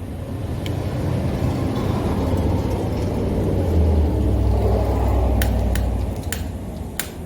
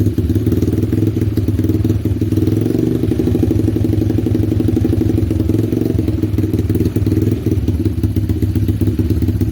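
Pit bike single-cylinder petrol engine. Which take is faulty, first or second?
first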